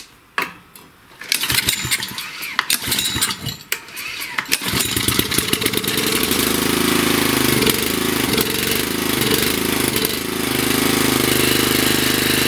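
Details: Wood splitter four-stroke engine with fuel pump, after replacing carburetor (Honda part 16100-Z1A-802) to fix start-and-die problem, carb cleaner sprayed in: several cranking pulls, then catches and settles into a steady, even idle without dying.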